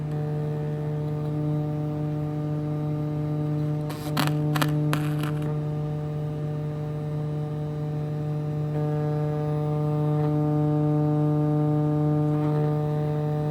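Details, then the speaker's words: Kinyo SW6106 2.1 multimedia speaker woofer driven with a 150 Hz tone at rising volume: a steady hum with harsh buzzy overtones and sharp clicks, cone barely moving. Overdriven speaker distortion. "Still like barely moving. I'm overpowering it."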